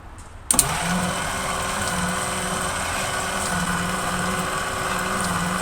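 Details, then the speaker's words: 1939 Packard being cranked on a 12-volt battery with several valves stuck open after a distributor adjustment: starter spins quickly and evenly with no compression pulses and it never fires; no compression. "at least need to take those valves and knock them up and down so that it can build compression because obvious not and then we can see if it's gonna fire"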